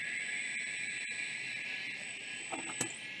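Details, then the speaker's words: Maxtor XT-1085 hard drive badged Storage Dimensions, powered on: steady high whine as it spins up, then a couple of odd knocks; owner suspects a broken wax ring. Not confirmed. "I don't like that noise we're going to stop with this one this one might have a broken wax ring in it because that actually did start to spin"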